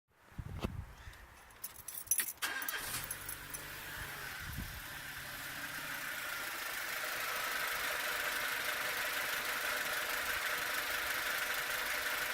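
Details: Peugeot 307 after engine mount, flywheel and alternator belt removed and new belt fitted; cranks and catches, revs climb and hang high with growing raspy hiss, erratic high idle; OBD shows camshaft position fault, cause not pinned down.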